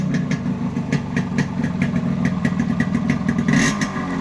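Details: Yamaha RX100 two-stroke with imported carburettor and Indonesian RX King CDI unit after wiring alteration; sharp, crisp beat with clean, evenly spaced pops as throttle is blipped, beat changing with each rise; normal two-stroke running.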